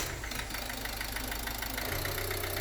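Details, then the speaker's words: Ford Connect 1.8 diesel, held at about 1500 rpm with the throttle body removed: steady, evenly spaced hard knocks above the diesel clatter; piston knock in cylinder one by French numbering (cylinder four by local numbering), located with oscilloscope and microphone. "тыщи и лужи и видим стук-стук-стук то есть это говорит о том что у нас стучит поршень первого цилиндра"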